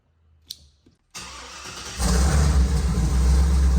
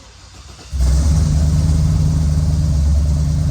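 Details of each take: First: Dad's Jeep V8, just back from the tuner: short crank, then it catches cleanly and settles into a steady, even idle with no misses; normal start and idle, though camshaft actuator and misfire codes remain stored. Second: Dad's Jeep V8 with a bigger cam and custom tune: fires up and settles into a lumpy idle, an uneven thump about four times a second, with one cylinder dead because a spark plug wire had come undone.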